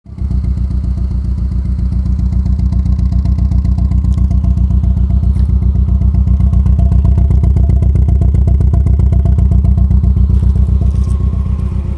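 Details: 1999 Mercedes-Benz C230 Kompressor four-cylinder at idle: lumpy, thudding beat with about four stumbles a second from a cylinder four misfire.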